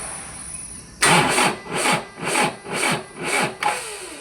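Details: Toyota Hilux Vigo with hard starting: the starter drags the engine over slowly, about two labored turns a second, never catching. The cause is worn starter motor carbon brushes.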